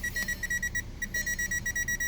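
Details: 2012 Volkswagen Jetta in for no start, after converter box replaced; engine starts, odometer lights flash: steady high beep about five times a second keeps chiming; no communication to any module, bad bus line suspected.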